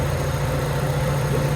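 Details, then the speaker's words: Honda Civic EK that had high idle and a check-engine light, after ACB cleaning and adjustment: steady, even idle with a constant low hum, no hunting or surging, idle speed now correct and calmer. "Okay na yung menor niya."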